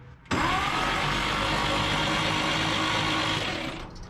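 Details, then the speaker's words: 1958 Chevrolet Apache long sitting, starter churns about three beats a second but never catches or fires; no spark. "no spark she ain't got no spark"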